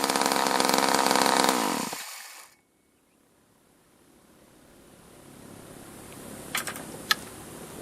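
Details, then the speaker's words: Craftsman Poulan top-handle chainsaw after rebuild: loud steady high-revving two-stroke buzz stops abruptly and falls silent, the engine dying from intermittent spark. "so you saw there it it sounded like I mean it just kind of died right well the problem was um it the problem the problem was it was an intermittent problem those are those are the hardest ones to find"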